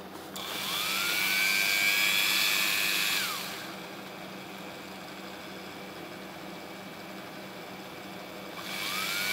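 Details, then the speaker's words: A comparison engraver of unknown make, not the RYOBI, at maximum speed: high whine spins up with a buzzy rattling edge, winds down, then restarts. One part of the body vibrates terribly; the owner thinks this may be considered acceptable at such speed. "вот эта часть просто ужасно вибрирует я не знаю количество оборотов на этом приборе поэтому в принципе такую вибрацию для таких оборотов считают допустимыми"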